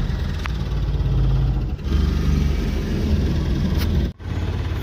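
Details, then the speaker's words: Mahindra Supro diesel after repair of a chafed, broken injector wire (code P0201) and loose common-rail coupler: steady low idle chug with a few brief dropouts, even firing, no knock or miss; starts and runs normally. "यह देखिए अभी य normal start है यह देखिए कोई भी unwanted sign नहीं है"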